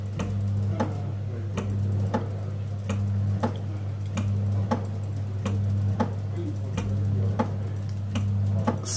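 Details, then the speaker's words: Biasi M90E 28S gas boiler switching on and off: steady low hum with a sharp tick about every second as the fan cuts in and out; relay stuck on the ignition PCB. "basically what's happening the relay stuck on a PCB and starting a fan and stopping it and just repeating that process over and over on this particular boiler"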